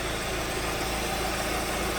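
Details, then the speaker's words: 2014 Hyundai Sonata 2.4, towed in with flashing MIL, power loss and code P1326 excessive knock: smooth even four-cylinder idle, no knock or tick; aftermarket oil filter found, OE filter recommended; knock sensor EMI suspected. "I never heard anything when I drove it. I don't hear any noises in this engine,"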